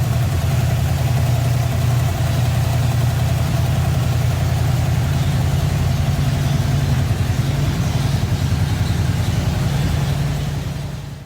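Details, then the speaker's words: 1954 Ford F-100, restarted after sitting a long while, off choke: deep, even idle with a low steady rumble and no ticks or stumbles for ten seconds before shutdown; runs great. "so now we all know she runs great"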